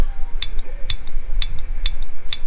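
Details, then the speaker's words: RocketBox 250HD-MOS amplifier with SSB delay not enabled, keyed by tapping: sharp paired clicks about twice a second as the keying relay drops in and out, because on sideband there is no carrier to hold the relay in. "e'll go ahead and just uh key up and you'll see and you should be able to hear the relay clicking on clicking off"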